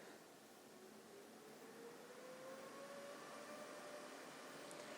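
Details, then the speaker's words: EcoFlow Delta 2 power station charging from 0% from AC: a steady airy whoosh rising in pitch as the cooling fans spool to full blast, similar to a 1600 W output load; normal while charging. "you may or may not be able to hear the fans they seem to be on the same level as this unit was when I was pulling out 1600 watts to make my espresso so this seems to be full blast"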